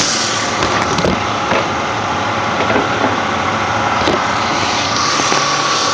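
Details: Ford Mustang V6: a steady engine drone with a thin high whistle on top that sounds like a turbo spooling. The owner believes the alternator is good; the source of the whine is unconfirmed.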